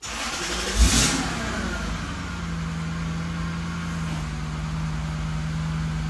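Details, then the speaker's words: Lexus SC430 start after unplugging the alarm connector at the skid control module: quick crank and catch, brief rev, then smooth steady idle with no siren or chirp; alarm sound gone, healthy start. "yep that sound is gone so I cannot believe that the alarm was that easy it was just a little connector that had to be unplugged"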